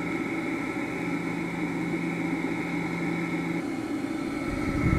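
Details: Vintage electric motor (Dumore grinder or Westinghouse machine tool motor) on test with potential relay start: steady hum with faint rough whir and high whine; bearings sound tired and worn, otherwise quiet.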